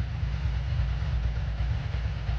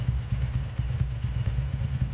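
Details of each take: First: 2003 Ducati ST4S V-twin idling after a gear-selector spring repair, with a loose, uneven rattle over the deep thump from a worn dry clutch that is due for replacement. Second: 2003 Ducati ST4S V-twin, previously rebuilt, after a gear selector spring repair, warming up at fast idle before a road test: steady, even low thumping with no knocks or rattles; normal idle.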